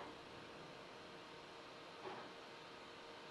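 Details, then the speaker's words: Flashforge Adventurer 5M Pro CoreXY 3D printer at maximum speed, 200–300 mm/s, all fans 100%, measured one meter away: about 48 dB, maybe rising to about 53 dB on rapid moves; soft fan rush, faint motor hum, loud motherboard cooling fan; normal operation. "we're looking at 48 decibels maybe leaping up to 53-ish decibels when it does one of those rapid moves I will say I'm a little bit disappointed in how loud that motherboard cooling fan is"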